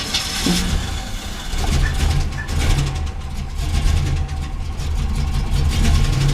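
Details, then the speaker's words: Long-stored engine after oil change with detergent, fluid changes and fresh gas with treatment: steady idle with a light quick tick from the top, apparently rear passenger side; suspected valvetrain tick, not confirmed. "there's that ticking noise and it's coming from I believe this area right here towards the back"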